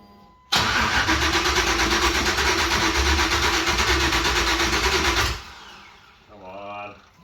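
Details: 1989 Chevy S10 Blazer with LS swap, LS1 intake, eBay harness and original cam temporarily reinstalled, on start: brief crank, then the V8 catches and settles into a steady, even idle before shutoff, no misses or knocks.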